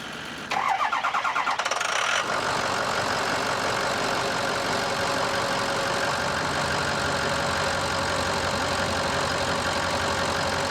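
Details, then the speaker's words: Ford F250 6.0L Powerstroke diesel after cleaning the sticking VGT vanes or unison ring of the Garrett turbo: brief fast crank, catches cleanly and settles into a steady, even idle; normal start, though the engine light is on. "Fire it up, baby. That's what we were looking for. Everything looking good."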